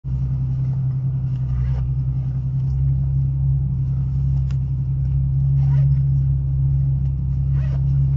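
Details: Ford Mustang driving, deep steady rumble pulsing about four times a second from the new brake rotors; rotor rumble, since fixed.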